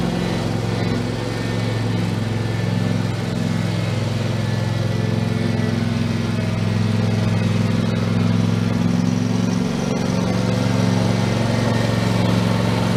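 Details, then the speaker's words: Husqvarna YTH2454 mower, 24 hp Intek V-twin, after carburettor rebuild with kit: steady, even engine drone with constant pitch and no misses or knocks; running normally, earlier stall blamed on running out of gas. "I think I got to put more gas in there I think that's what it was wrong so I'm gonna call it it's fixed"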